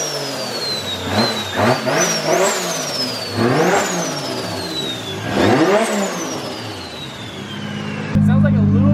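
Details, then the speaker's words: Healthy revving of freshly built 1.5JZ engine just after first start; crisp blips rise and fall cleanly, quick return to steady idle, no knocks or misfires. "yeah so much faster like him barely smoothly running the board now it oh yeah"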